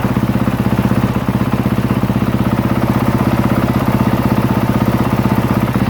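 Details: 2023 Honda CRF450R single-cylinder, brought in as a no-start, idling to warm up after a battery and stator check with charging good at 13.64 V: even thump at roughly three beats a second, steady with no misses or rattle; normal idle.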